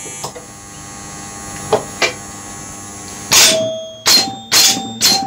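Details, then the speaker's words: Gottlieb Pro Football pinball machine in for a tune-up: faint clicks, then four crisp scoring bell strikes in quick succession. The owner believes a noise heard is the coil stop in the 100-point score rail; the bells are firing properly. "listen to that noise that's the 100 point it's the score Rael it's not the what I believe that to be is the coil stop in the 100 Point score rail"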